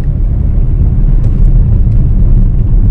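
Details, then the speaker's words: 2014 Suzuki Karimun Wagon R GL, inside the cabin cruising on smooth asphalt: steady rough low rumble, heavy road drone; owner blames poor underbody insulation or possibly 7-year-old hardened tyres. "Bannya ini sudah 7 tahun, karetnya sudah keras, kemungkinan bannya. Nah ini loh, padahal ini di jalan aspal loh, tapi sok gemuruh, kasar."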